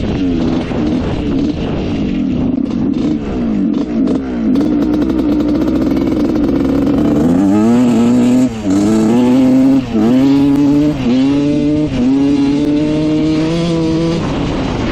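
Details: Rebuilt 1986 Honda CR125 two-stroke dirt bike, which had a bad bog before: revs climb and fall in blips, stuttering and breaking up at low revs; turning the air screw out another turn fixes it.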